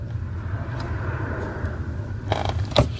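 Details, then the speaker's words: 2003 Infiniti G35 clutch pedal after removing and lubricating the pedal assembly: soft thumps over low engine hum, squeak gone. "as a mouse no more squeak"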